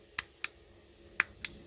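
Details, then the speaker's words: Ferrari F430 centre console parking switch, a working switch compared with the dead hazard switch; two crisp sharp clicks on then off, repeated twice in a quiet room, a clean positive detent. "Nice click. On and off."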